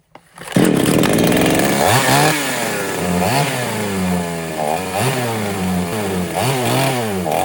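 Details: Foresta chainsaw that would not start, after replacing the worn, loose carburetor needle rocker arm and all membranes; it starts, idles steadily and revs cleanly on quick throttle blips without stumbling. Normal running.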